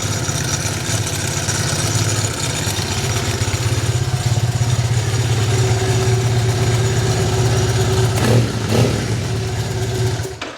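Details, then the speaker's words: Triumph Bonneville twin running fast and uneven, soft steady hiss apparently from the right-side spark plug area; a recurring sound, cause unknown. "that sounds just come back but what is that sound like a hissing from the right side spark plug hmm why is that hissing"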